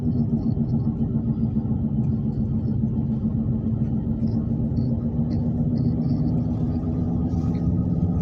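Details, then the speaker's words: Right front wheel roaring while driving, a loud steady low drone heard in the cabin, louder than the other tires; later confirmed as a bad right front wheel bearing. "we're trying to see what's wrong with this uh this right front wheel seem like it's roaring like it might be uh ball Burns in the wheel or something"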